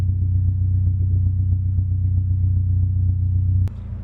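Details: H22A4 Honda Prelude after throttle body cleaning and new K&N pod filter intake cured low (about 400 rpm) rough idle: deep, even rumble holding steady with no hunting or stumble, idling properly; normal running.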